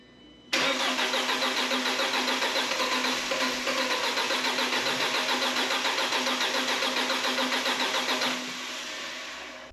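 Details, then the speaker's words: 2007 Audi A4 2.0 FSI, 141K miles, first start after engine rebuild for low oil pressure: starter cranks steadily about 8 seconds without catching, sounds like no fuel. "it almost sounds like it's not getting fuel i'm gonna keep trying come on baby"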